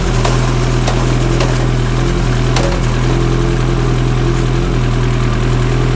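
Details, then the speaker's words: Kawasaki Ninja after fitting a Sprint air filter, fresh plugs, a Power Commander and a quick shifter, before a dyno tune: a strong, steady engine note with clean, even pulses and no pops or misfires. The bike runs healthy. "That sounds awesome with that quick shifter. Now there's going to be some minor adjustments here and there that I have to make."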